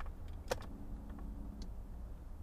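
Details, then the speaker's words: 2005 Mazda 6 with no fuel pump sound at key-on, with a suspected fault in the positive feed wire (green/red) to the pump: relay clicks and the pump primes with a short, faint electric hum; car now starts. "вы слышите бензонасос Сейчас вы услышите его вот теперь я могу завести машину и он работает"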